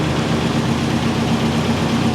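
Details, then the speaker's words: 1989 Nissan D21 Hardbody Z24 that sat for years, idling warm after a highway and city drive home with a full tank and normal temperature: smooth, even idle, steady low hum, no knocks or misses, running far better than before; normal idle. "she's running a ton better than she was before i mean a ton better she's just purring like a kitten"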